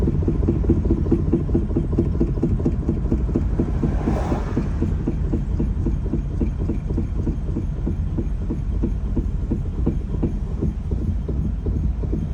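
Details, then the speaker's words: Third-generation Honda Fit: steady knock about twice a second, tracking road speed, only when coasting off throttle; it stops when braking and returns on brake release, with steering-wheel vibration; source undetermined. "При сбросе газа появляется стук. Вот газ сбрасываю. Вот сбрасываю газ. При торможении пропадает, при отпуске тормоза опять начинается."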